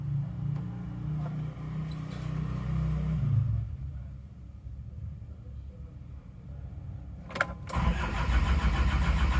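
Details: Isuzu Panther diesel after an engine overhaul; long labouring crank with a low drone before it finally catches. The glow plugs get no power despite the relay switching on, and fuel drains back to the tank: hard starting from inoperative glow plugs.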